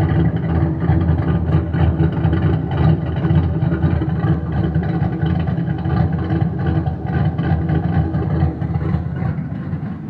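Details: Boosted Fox-body Mustang V8 with a slight exhaust leak: a lumpy idle with a deep, ragged puffing throb under the exhaust note.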